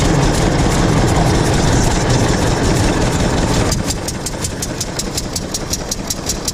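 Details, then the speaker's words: 1926 Hart-Parr 16-30 tractor, first start in over a decade; loud rumble settles into a slow steady beat near 160 per minute with crisp, even firing; starts, runs and drives. "but the big part's done guys it starts up she fires up she runs she drives she backed here into her new home and this new shed all by herself didn't have to shove it in here"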